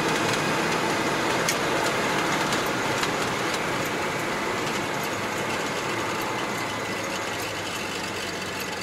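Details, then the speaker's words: Citroen 2CV cabin on a test drive after curing a passenger-window whistle: even engine drone and road rumble, no whistle from the window. Much quieter; a remaining door-top gap could be helped with more U-shaped rubber seal. "There's certainly no wind noise coming in from that window now. A lot quieter. I mean, by 2CV standards, this is very quiet. It's quite pleasant, actually."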